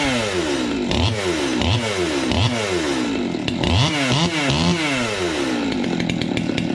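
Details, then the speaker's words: 200T two-stroke chainsaw on first test fire after new carb, intake boot, impulse line, fuel line, fuel filter, air filter and spark plug: fires cleanly, revs rise and fall with throttle, runs strong; normal running, owner plans some tuning. "that's sweet that was a success yeah and it sounds a [ __ ] whole lot better too"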